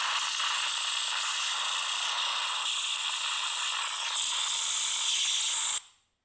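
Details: Samsung Note 9 speaker: harsh ratchet-like crackle and hiss through the clip, then a sharp cut-off; random weird speaker noise that only a phone reboot stops, cause unknown.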